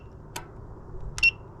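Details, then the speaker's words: Off-grid solar tracker linear actuator stuck facing west in winter: two sharp relay clicks, no motor whir; multimeter shows power at the lugs, so the actuator is suspected failed. "लग्स पर उछाल और शक्ति मिल रही है, मुझे कोई कार्रवाई नहीं मिल रही है, बस एक खराब एक्चुएटर बनना है"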